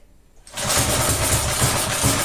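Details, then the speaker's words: Briggs & Stratton engine on a long-stored Texas garden tiller (believed 1991), on full choke, possibly with brake cleaner in the throat: fires and catches, settling into a fast, rich, slightly uneven chuffing run. "it doesn't it kind of sounds like it want to go oh okay is it still the same full choke okay"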